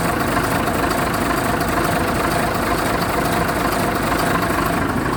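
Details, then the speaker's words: BMC Fatih truck diesel engine at idle: steady, even clatter with a consistent beat and no surging; normal idle. "Evet şimdi bu kamyon motor rolantide bayağı şey çalışıyor Evet"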